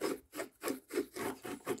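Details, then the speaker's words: 2008 Jeep Compass front hub, bearing turned by hand after removal: rough rasping grind in bursts about three times a second from the worn inner bearing, confirmed as the humming-noise cause despite a good-looking outside. "I don't know what it is about the inside bearing this one's all right but the inside bearing you can hear it hear it"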